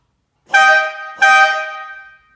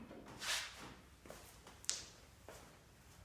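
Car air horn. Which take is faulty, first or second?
first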